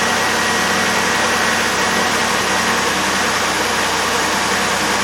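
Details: 2002 Chevrolet Impala 3.4L V6 after power steering pump and reservoir replacement, fluid level good: engine idles evenly with a constant hum and no pump whine or groan; power steering quiet and normal.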